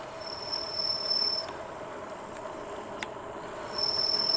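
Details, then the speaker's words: Jansno X50 electric bike braking downhill on a long hill: a thin, steady, high-pitched squeal cuts out midway and then returns, something changed mid-stop; the squeak later went away, cause unknown. "You can hear these these brakes trying to stop. Oh, something didn't sound right. Something changed."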